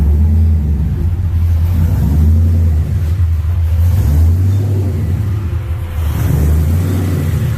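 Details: Hot engine freshly wired to a Holley ECU, with fuel pump and fans running: a deep, even V8 rumble that swells smoothly as the throttle opens and settles back, with no knocks or misses; normal running.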